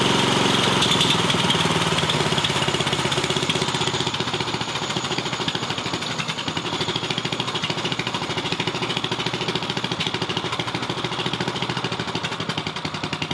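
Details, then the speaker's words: 420cc turbocharged drift trike after EFI install, first start once fuel pump primed: single thumps unevenly, about 2.5 pulses per second, stumbling; timing suspected off, flywheel Hall sensor may need adjusting; rough running. "All right, here we go. Hopefully. Sounds like the timing might be off."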